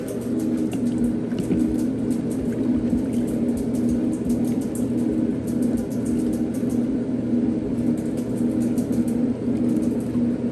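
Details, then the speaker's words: 1960s Maytag washer: steady, even motor hum with a low, smooth drone and no knocks or grinding; motor sounds good, no major leaks, though something like a pebble may be in the pump. "no major leag so far motor sounds good"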